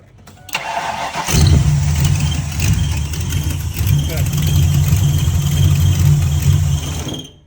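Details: Mustang V8 with a rebuilt carburetor, restarted after a wire was crimped back on and the coil reconnected: a brief crank, then it catches and settles into a steady, even idle with no stumbling; a normal start and idle.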